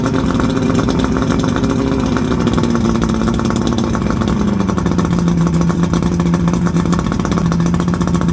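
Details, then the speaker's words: 1979 Johnson 90 hp V4 Seahorse outboard on a free boat, telltale plugged: runs loud and steady with a smooth even drone, speed easing slightly, no misses or knocks; running fine, may need plugs. "all right i think i say that runs good probably could use some plugs and stuff but and use a good running too good and cleaned out but i'd say that's success"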